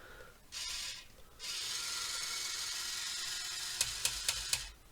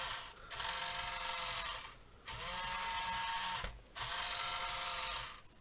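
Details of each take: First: so that's the lift the boom there the front loader uh clearly it has a slip clutch that's what you can hear click in there disable at the bottom Second: 1:28 scale RC wheel loader QY2302, cheap plastic toy motors: three steady high-pitched whirs with pauses, forward and reverse drive working though noisy; steering broken; normal drive motor operation.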